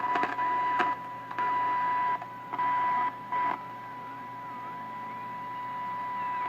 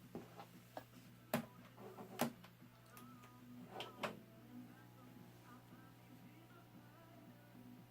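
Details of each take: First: 1929 Radiola 66 superhet chassis, no cabinet, after interstage transformer replacement and during alignment: steady high whistle under choppy bursts of hiss and static; a stage is likely oscillating, and neutralizing may be needed. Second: 1929 Radiola 66 superhet without cabinet, after replacing the interstage transformer and an open power resistor: faint music and program sound over a low steady hum from the field-coil speaker. The radio is receiving and working.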